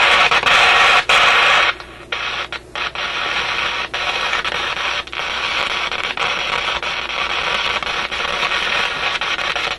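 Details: Canadian General Electric KM-5 tube radio after paper capacitor replacement: hissy output broken by sharp random crackles and dropouts. The fault appears centred in the audio output circuits; a heat-related contact or bad tube contact is suspected.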